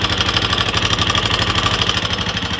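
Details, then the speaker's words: 1999 Honda XR200R single-cylinder idling evenly with a light, fast tick over the thump; owner suspects valve lash out and a worn cam part, unconfirmed. "I started it right after I stopped the camera but if you can hear that ticking"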